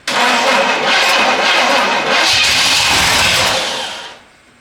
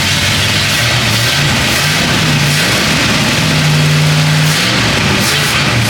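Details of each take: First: Long-abandoned 1967 Pontiac Bonneville after cleaning the points: starter grinds slowly for about four seconds without catching; slow cranking, weak battery suspected, battery cable gets hot, engine ground also questioned. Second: 1967 Pontiac Bonneville V8, abandoned on a farm, first start on a jump pack and replacement battery: deep, loping idle rumble, picks up cleanly through several blips and settles back; sounds healthy, normal revving.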